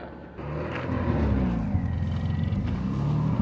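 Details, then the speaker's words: 1998 Subaru Legacy pulled from a marsh, code P0505 idle air control: lumpy, uneven idle with irregular low stumbles, misfiring and running very rich with raw fuel smoke; traced to a water-damaged ECU. "so car's still been running very rough misfiring and seems to be running super rich and the code we've kept getting is a p0505 for the idle air control"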